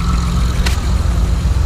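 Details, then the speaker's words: 2006 Honda Accord V6 (J-series) just after Stage 2 cam install and valve and timing belt adjustment, untuned: steady low idle with choppy lope, no ticking or knocking; normal big-cam idle. "You hear that shit? Listen to that loop. Woo! Boom, boom, boom, boom."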